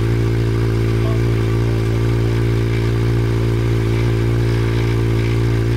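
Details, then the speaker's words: Honda CB700 Nighthawk S project bike starting on its own newly charged battery, running about a minute before fuel ran out: deep, even idle with steady low hum, no knocks or misses; normal idle. "as you would have seen earlier the bike now starts up off its own uh battery which is fantastic"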